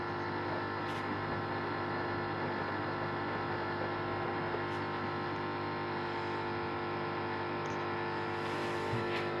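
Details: Samsung WD0804W8E washer with steady droning hum and faint ticks, going on and off for several minutes; owner suspects it occurs when the heater is on, asks whether heater needs cleaning or replacing; unidentified.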